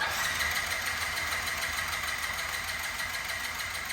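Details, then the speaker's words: Yamaha C3 moped after fuel pump replacement, new plug, battery and oil: the new pump primes, then the engine catches and settles into an even, buzzy idle without stalling. Normal running. "That's what we wanted to hear. We did not have that happen before, so I'm going to just go ahead and hit the starter. I think we should be able to have it fire and run."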